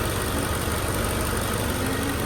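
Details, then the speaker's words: 2010 Mercedes G55 AMG M113K V8 after replacing all 8 coil packs, listened to on one 4-cylinder side: low, steady, even idle with no misfires; nice and smooth. "we're gonna come and listen to the exhaust note as well to see if we hear any misfires. Nice and smooth there."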